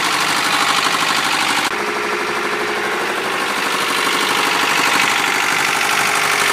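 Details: 1993 Honda Prelude H23A1 at idle: loose, uneven rapping about three per second over a hissy idle; an abnormal knock of unknown origin.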